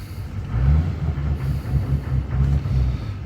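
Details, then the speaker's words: 2014 Chevy 2500 Duramax with an EGR delete, with the valve connector plugged in: low, lumpy diesel rumble that won't idle and surges without picking up revs under throttle, with heavy smoke; hesitation under throttle. "It's all ready, and I don't know if y'all can hear it. Not wanting to idle. I'm actually giving it fuel."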